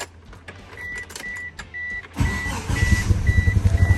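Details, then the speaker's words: Mitsubishi Eclipse GST with 4G63T turbo engine, rough lumpy idle with irregular stumbles. Pulling plug leads shows only two cylinders firing; the others do nothing. Misfire on two cylinders, cause still being diagnosed. "it sounds like crap you come out here though this one's doing nothing as you guys can see and I don't think this one's doing anything either so these two are the only ones spiking right now"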